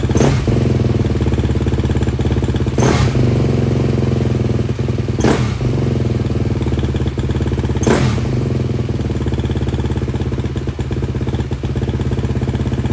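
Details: KTM 250 dirt bike idling healthily with choke off after intake boot cleaned, silencer and air filter refitted, steady low thumping with a few brief sharp bursts; first short heat cycle, normal idle.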